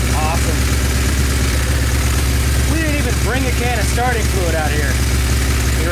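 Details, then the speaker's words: Kawasaki Z1 four-cylinder revival: lumpy, uneven idle with an irregular beat, as if running on three cylinders; a misfire at idle is suspected and pipe temperatures are checked with a laser thermometer. "Kind of sounds like it's on three. Yeah, it does."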